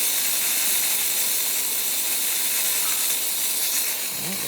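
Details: Lakin Avanti espresso machine after full service/tune-up, heated up: strong, steady high hiss holding several seconds; steam wand delivering steam normally.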